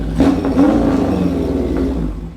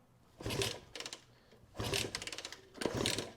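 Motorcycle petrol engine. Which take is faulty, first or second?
second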